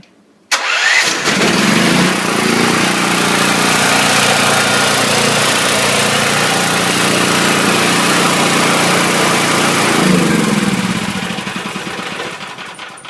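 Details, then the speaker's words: Chinese-engine generator after an oil change and carb cleaning, new EverStart battery, choke on, key start: brief crank, catches at once, then settles into a steady, even run with no surging. Normal start and idle. "works for me awesome that's a nice generator right there Chinese onion but you want to know something which is a pretty well-built Chinese engine starts with the turn of a key"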